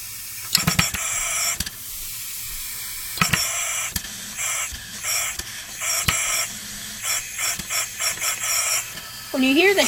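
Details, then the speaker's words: Homemade air-driven engine on its last few PSI of compressed air: uneven sharp bursts of air hiss, about three to four a second, over a faint hum. Assumed to be intake/admission puffs, not confirmed. "like that I'm assuming that's intake matter of fact let me show you something here with my last few PSI"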